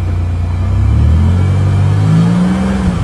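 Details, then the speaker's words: 1998 Chevrolet Lumina LTZ, sitting about three years, first-try start without touching the gas: catches into a smooth, even rumble with a light rev, no knocks, ticks or smoke; normal running. "motor sounds perfect wow no smoke good exhaust well you'd never know sounds like she was just running five minutes ago"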